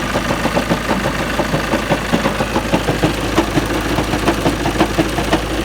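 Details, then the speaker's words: At idle: an uneven rattling clatter at about three beats a second with heavy engine shaking. Suspected badly worn, egg-shaped flywheel throwing the engine out of balance, not confirmed. "That is one seriously worn out flywheel. Clattering, it must be egg shaped."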